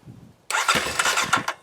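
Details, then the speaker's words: 2020 Kawasaki KLX 230R fitted with a manual idle adjuster screw turned fully in: the engine catches for about a second, then stalls because idle is set too low. "And so I'm going to have it turned all the way in. Hopefully that idles properly now. Let's see. Yep. So it won't even idle now."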